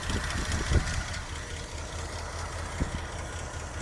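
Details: 1984 Jeep J20 3/4-ton with AMC 360 V8, sitting since 1998, just started after priming: low, lumpy idle with an occasional soft thump, holding steady and sounding healthy.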